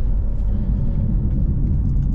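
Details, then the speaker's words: 2005 Pontiac GTO cruising: deep, steady droning roar under road noise that goes quiet when turning left; owner suspects a bad right wheel bearing. "hear that roaring noise like there it went away if I make a right hand a left-hand turn"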